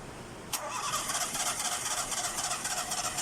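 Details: Nissan Sunny: a click, then a steady starter whirr of about four beats a second with no catch or fire; it cranks but won't start.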